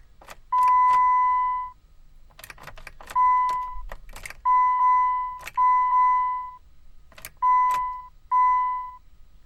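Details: Jeep: repeated one-second electronic beeps in uneven bursts with sharp clicks between them, and no cranking or engine sound. No-start with beeping and clicking.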